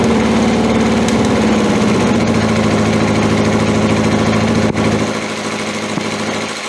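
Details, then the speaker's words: 1981 Honda CB750 K four-cylinder, cold start with five-year-old oil and old stale gas, fuel tap left off: runs ragged, lurching and stumbling from fuel starvation. "as you can hear it stumbles and fumbles and everything else and then that first I forgot to turn a gas on again"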